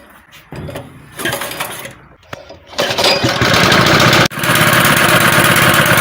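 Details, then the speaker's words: Honda gasoline water pump that wouldn't start, after cleaning sand and dirt from carburetor, plus spark plug and air filter: pull-start catches, engine settles into steady even run with no misses; normal running. "Entonces, pues ya vieron que ya arrancó, ya funciona. Lo que tenía era pues que tenía mucha arenita, mucha tierrita en el carburador y ya lo limpiamos."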